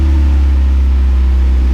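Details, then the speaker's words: Boosted Miata at first start, not yet warm, after fitting a used VVT gear and torquing the bolts: smooth, even low hum with a steady beat and no ticks or stumbles; normal idle, timing appears fine. "Idling good. So I think my timing's fine. Great. Sounds great."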